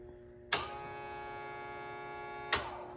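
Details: 1974 StarCraft boat after rewiring, bilge pump switched on from a newly installed switch panel on battery power; a click, an even electric hum for about two seconds, then a click: normal running.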